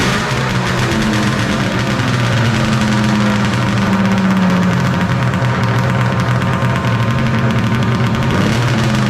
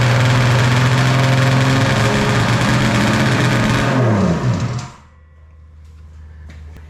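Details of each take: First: 1995 Polaris Storm 800 triple two-stroke, 1,500 miles, after setting all three carb air screws to 5.5 turns out, air box refitted, a little choke at start; steady even low hum, no hunting or misfire; normal idle, fix successful. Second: 1995 Polaris Storm 800 triple snowmobile, 1,500 original miles, 130 psi compression: fast two-stroke buzz idling far too high before dropping; runs well at top end; fix by adjusting carb air screws, found set too lean.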